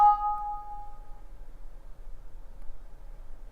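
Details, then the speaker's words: Dv4mini during a firmware update via the bootloader: the LED blinks orange fast, then the device connects, disconnects and connects again, with a single clear two-note ding fading within a second over room hiss; normal USB device-connect chime. "connect, disconnect, and connects again."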